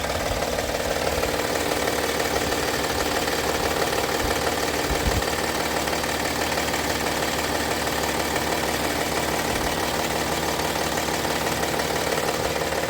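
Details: Honda Pilot 2 at steady idle: faint repeating knock about twice a second under the engine note, an internal engine knock of unknown origin.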